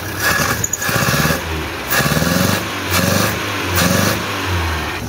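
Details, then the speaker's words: 1976 Chevy LUV 4x4 four-cylinder, clapped out, no compression on two cylinders: repeated throttle blips with ragged, breathy edge; heavy blow-by, a strong stream of air from the crankcase. "i'll show you guys some blow by here but let's uh [Music] it's got a pretty good stream of air send it all away"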